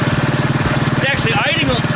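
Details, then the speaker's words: Predator 212cc single on a modified Coleman KT196 go-kart idles with fast, even thumping, noticeably higher than usual after a cold start; owner suspects the advanced ignition timing plus slight throttle raised idle speed. "usually would be you know on Volkswagens if you advance the timing difficult the idle speed will pick up so that's why it started so easy because it had just a little throttle on"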